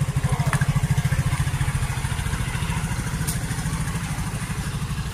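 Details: Rusi RFI 175 fuel-injected scooter started after fuel hose replacement and battery reinstalled; steady low putter at about three and a half beats a second, even with no misses; normal idle.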